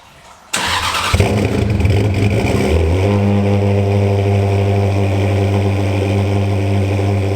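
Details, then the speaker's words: Ferrari 360 started for an ECU reset/relearn (battery cut) and left to idle 5 minutes; engine catches with a burst, then a deep idle that wavers and steps in pitch early on, expected to idle badly until recalibration improves it. "So the first thing we've got to do is actually start the car and let it idle for 5 minutes. It will probably idle terribly for a while, but then it will start to do its recalibration stuff and things should improve."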